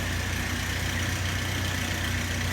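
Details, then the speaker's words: Chevrolet S10 (1998–2001) with swapped Cavalier/Sunfire 2.2 litre engine, nearly at operating temperature, strong oil pressure: steady smooth low idle drone, no knocks or ticks; normal idle. "Looking at the dash here, we're almost at temperature. I have phenomenal oil pressure. Everything's working really good."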